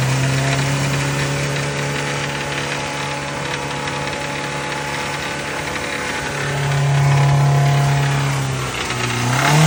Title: Rod knock